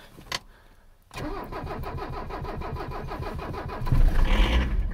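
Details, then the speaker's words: Abandoned 1985 Mercedes 300CD diesel, cold start after glow plug cycles, ether and fuel system primed with strainer cleaned: brief crank, catches with a touch of accelerator, even clatter surging with throttle; normal start, all cylinders. "just needed a touch of accelerator that was it and once again she's running on all cylinders right out the gate"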